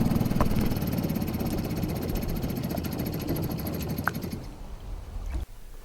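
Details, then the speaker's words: 1952 Johnson Seahorse 5 hp two-stroke outboard after rebuild: lumpy idle pulsing about four times a second, stumbling and fading out; carburetor gasket air leak and excess coil-to-flywheel magnet air gap. "it still wouldn't idle very well which was a little bit disappointing and it was clear to me that something was still wrong with it"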